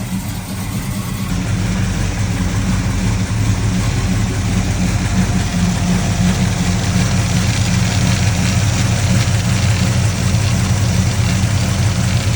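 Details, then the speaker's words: 1979 Camaro V8 after rocker arm replacement, valve covers on, running a few seconds: deep even burble, steady slightly slow idle, no ticking or tapping from top end. Normal idle. "Got our valve covers on. Been running for just a few seconds here. It sounds really happy."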